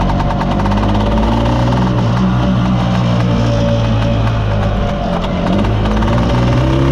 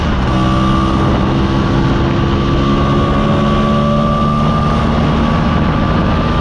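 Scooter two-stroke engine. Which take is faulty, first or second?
first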